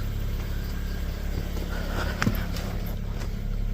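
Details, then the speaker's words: 2009 BMW 335i after alternator replacement: smooth quiet idle with constant low hum, no squeal, whine or rattle; battery reads about 15.2 volts, charging normally. "She's running. Sounds good. I don't hear any funny noises."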